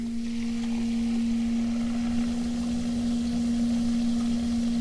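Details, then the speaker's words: DIY heater in Volkswagen Golf Citystromer conversion: auxiliary-heater circulation pump feeding a 2014 VW e-up 5 kW 350 V heat exchanger, first fill; clean steady mid-pitched hum without gurgling or rattling; circulating normally with no trapped air. "so now you can hear that we don't have any air left in the pump there it's completely quiet"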